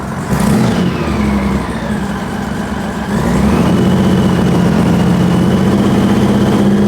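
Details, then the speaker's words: 2000 Honda GL1500C Valkyrie, non-supercharged, with tall exhaust stacks and crossover tube, warming up after a no-choke start: revs off idle into the midrange with uneven exhaust popping; lean-running backfire seems to come from the left exhaust. "That backfire is pretty hideous. It seems like when I put my hand down, it's coming from this left exhaust, left-hand side."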